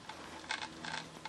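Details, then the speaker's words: FMS F4U Corsair RC plane after a gear-up belly landing, bench-tested with the transmitter bound: short bursts of harsh buzzing chatter from a servo over a faint hum. The servo seems to bind, pulling on the flap door. "but I think this Servo here has got something that's binding up on it pulling out on the flap door a little bit that stopped that seems to be okay now it's making noise again"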